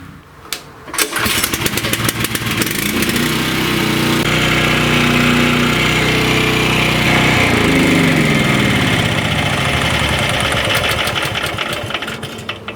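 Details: Champion chipper shredder whose engine runs but whose blades don't spin, with one blade chipped: the small engine fires up and revs freely with a light, unloaded buzz and no blade drag; the crankshaft has snapped off.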